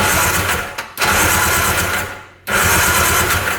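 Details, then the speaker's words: 1995 Tigershark Monaco jet ski (640cc, 67 hp), not run in over 20 years: fast, even cranking bursts after the sticking starter was freed by tapping it with a punch; it now turns over well and blows oil out. Owner suspects stuck rings. "Now it's working pretty good. It's blowing that oil out too. It's a good sign."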